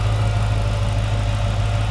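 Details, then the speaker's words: 2006 Chrysler 300 SRT8 V8 after an intake manifold gasket replacement, for cold-start vibration from a suspected intake leak. Steady, even low rumble at idle with no roughness or body vibration. Normal idle. "Man, listen to that thing just purr. It runs so smooth. vibration in the body of the car at all."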